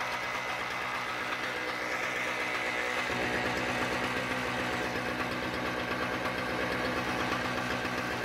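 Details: Toro CCR2000 single-stage snowblower, 2-stroke 4.5 hp Suzuki engine with Mikuni carb, after carb cleaning, primed and choke open: settles into a steady, even pop of about two beats a second with no stumbling; running properly now.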